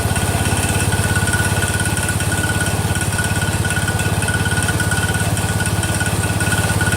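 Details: Freshly rebuilt Kohler single-cylinder engine in a Cub Cadet 102, cold first start, steady idle with an even tick about three a second on the firing beat; the front pulley is coming apart, not rod knock.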